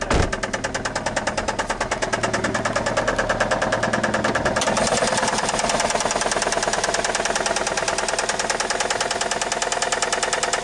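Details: 1999 Saturn SL2 1.9L twin cam petrol engine starts every time but smokes; runs with a sharp, steady knock about three times a second; rod knock.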